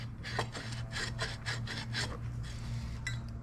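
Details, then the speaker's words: 1955 tilt steering column shaft turned by hand gives a dry, gritty rasp, dragging and catching at one point and turning the whole column; shaft is rusty and a mud dauber nest was found, suspected of binding it. "what I did is I grab this and it's hard to turn it's like gritty sounding that should spin so nice and it does not like it's turning the whole column it shouldn't do that"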